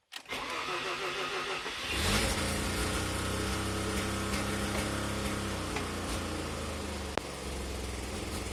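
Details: Mazda NA RX-7 rotary idling after start: uneven stumbling misfire with hissy edge from deliberate minor vacuum leak at lower intake manifold, ACV block-off plate left unsealed; car dies at operating temperature.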